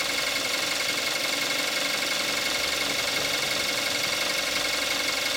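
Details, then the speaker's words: 2014 Kia Forte5 2.0 GDI, 41,000 miles, synthetic 5W-30 oil, more warmed up, camcorder mic: steady, even idle with fast light injector ticking over a smooth hum; normal warm idle. "This is what it sounds like with the engine more warmed up."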